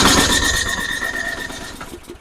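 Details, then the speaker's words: MTD snowblower with Tecumseh 8 hp engine, sat all summer, 135 psi compression and spark confirmed, choke on: short pull-start whir spinning down without firing; cranks but won't start, dirty carb suspected. "it's not going to start for me so I tried it a bunch of times so this sounds like a classic uh carb clean for me"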